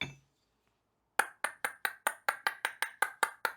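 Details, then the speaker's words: Copper pipe bowl (ring dish) being formed, just after annealing by heating to dull red and quenching in water. Sharp taps about five a second, each ringing briefly then dying quickly; a duller ring showing soft, annealed copper. "Sounds a little duller, doesn't it?"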